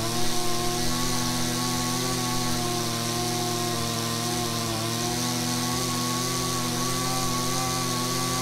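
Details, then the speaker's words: Husqvarna two-stroke string trimmer after carburetor and idle adjustment for bogging: holds a high, steady buzzing whine at full throttle without bogging or stumbling. "then let the motor run for a little bit while you have the throttle squeeze once you think you found the perfect spot and they'll be done"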